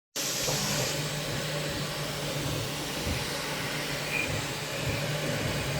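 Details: Bambu Lab 3D printer with only 300 hours of printing: steady airy whir with low hum, no clear rhythm; abnormal whirring noise of unknown cause.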